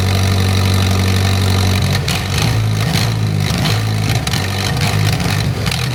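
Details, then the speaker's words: Mitsubishi Conquest turbo with 70k miles, just fitted with an aftermarket exhaust manifold, with a loud open-exhaust sound. It starts and settles into a slightly lumpy but steady idle and runs well. "Sounds good. Sounds like it's worth all the work."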